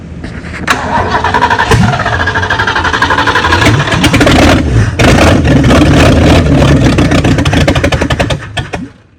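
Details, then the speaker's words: 1970 Mustang with freshly installed 429 engine that sat a long time, cranked with jump box until fuel arrives from the fuel pump: starter churns a few seconds with uneven firing, then catches and revs before shutting off; long crank before starting, timing thought low. "all right she she finally picked up Fu from the fuel P oh now she's getting her helpy drink"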